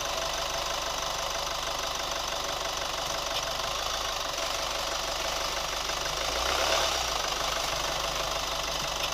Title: New Chevy Colorado ticking sound / rubber squeak sound 2